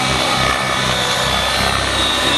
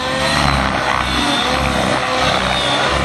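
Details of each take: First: Nitro RC helicopter engine after the mixture was richened for hard flying with tick-tocks: a loud, steady high-pitched buzz holds an even speed with no sag or misfire and no loss of power. Normal running. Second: Nitro RC helicopter in flight as the fuel tank gets low and the fuel foams while the helicopter is shaken around: a high screaming note holds a steady pitch, then starts to thin out as the tune fades. Lean running from fuel foaming.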